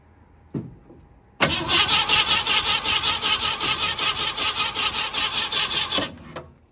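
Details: 1967 Ford Mustang, sat in a barn since 2008, battery connected, spark tester inline: steady cranking about 2.5 turns a second for nearly five seconds, no firing and no light on the spark tester. Cranks but no start.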